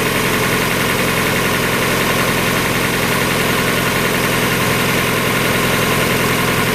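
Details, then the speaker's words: 1994 Mazda Miata, about 56,000 miles, first start after replacing the timing belt, water pump, radiator, hoses, thermostat and seals: steady, even idle with no knocks or misses, sounding better than ever. "I think sounds better than it's ever done before"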